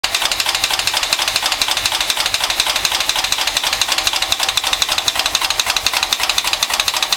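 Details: 1974 Mercedes 450SE: sharp, evenly spaced metallic ticking knock about four per second over a steady idle; source undetermined.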